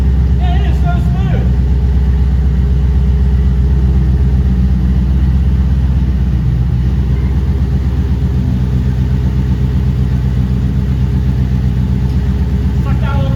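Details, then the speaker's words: 2008 Toyota Prius with a swapped-in 5.3L LS V8 at first start-up after injector fixes: steady, even low rumble at about four pulses a second with no misses or knocks; 50 psi oil pressure. Normal, healthy idle. "now that's way better I know about it oh yeah let's"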